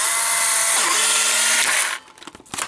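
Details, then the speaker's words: Polaroid 600 camera being tested with old expired film, fired with the red button. A brief, even high whir for about two seconds, then it stops cleanly with a couple of clicks as the film ejects. The eject motor works properly. "So first use this with the red button, and then your film should come out."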